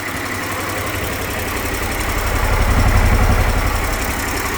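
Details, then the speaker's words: Briggs Vanguard repower in a Kawasaki Mule with a homemade exhaust manifold, on jacks after gear tests: a low, even, steady idle with a smooth quick pulse and no puffing or ticking leaks; very quiet, using little fuel. "We're using very little fuel. Man, it's quiet."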